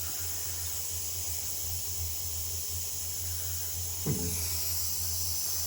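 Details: Radiator on a boiler system that showed F1 (no pressure), being topped up to find a reported leak. Soft continuous airy hiss, faint low hum and one brief gurgle as trapped air escapes while the radiator refills.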